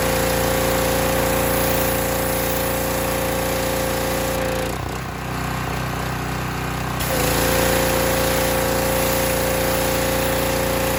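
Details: Harbor Freight Predator pressure washer after adjusting the unloader set screw with a socket wrench: steady, even engine drone with a constant tone, briefly dipping then recovering and holding speed; adjustment made a big difference, normal running.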